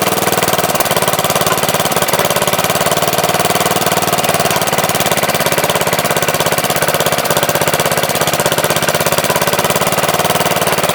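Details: MTD Wizard lawn tractor small engine after spark plug change: quick, even firing pulses at steady speed, no misses or knocks; runs really good, owner suspects clutch or transaxle problem, shifters loose.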